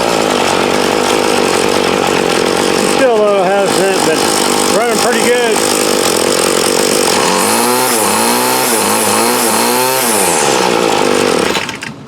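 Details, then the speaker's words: 2008 Troy Bilt TB20CS 31cc two-stroke trimmer after new fuel lines, fuel filter and primer and a carb adjustment: screams through quick throttle blips, holds a high steady rev, then drops off; pulls cleanly and runs healthy. "So now, with that, it still needs tweaked just a little bit, but she's running good, so now it's a win."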